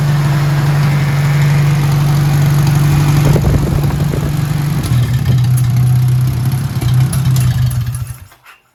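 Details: 1957 Hercules Power flathead four-cylinder (tag model ZXB, 2-5/8 x 3) with magneto, being run out of fuel for storage: steady, even low hum at constant speed, no knocks or misses until it runs out and stops; normal running.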